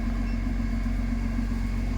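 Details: Backhoe excavator diesel after fault codes cleared and fuel-system work (operator reported low power and smoke under load): steady, even low rumble at idle, no knocks, misses or hunting; no fault code returned, normal idle.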